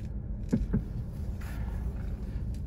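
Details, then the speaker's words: BMW F20/F30 steering rack: two dull, hollow knocks over a low rumble, starting after the rack was repaired for water damage; owner suspects the rack bolts are loose, tightening didn't help, and he thinks the bolts need replacing. "see this happened once my uh steering rack got a water damage and I gave it to repair it since then this started"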